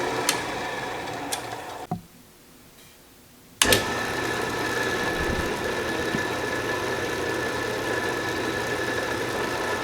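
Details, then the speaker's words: Restored 12-inch Atlas Craftsman metal lathe, reassembled and in direct drive: after clicks and a pause the spindle settles into a smooth, steady hum with no knocks or rubbing, running true. "I think I must add some burs on the outside because this is running dead nuts on now that we've verified the lathe is running smoothly with direct drive"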